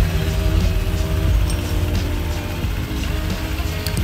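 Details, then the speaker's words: Honda Vario 150 scooter after replacing worn slide pieces with Daytona ones, tested with CVT cover still off: steady, smooth even drone with no rattle or grinding; CVT now quiet. "halus meskipun penutup CVT belum terpasang. Oke, jadi suaranya sekarang sudah halus."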